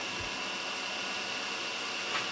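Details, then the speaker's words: Sharp VC-MH75HM VHS player/VCR, newly acquired, in high-speed rewind after starting slowly: a steady high-pitched whirring hiss with no knocks or scraping, about as loud as the owner's Sony. Normal high-speed rewind. "they literally just chew through these tapes in terms of, you know, the speed of rewind."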